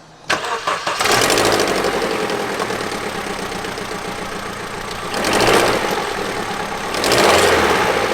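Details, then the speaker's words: Vauxhall Astra engine idling with a harsh rapid ticking rattle that swells on each throttle blip; first suspected as a loose timing chain, but the noise persisted and was found to be an exhaust manifold gasket leak. "But it turned out to be an exhaust manifold gasket leak, which was making that horrible noise."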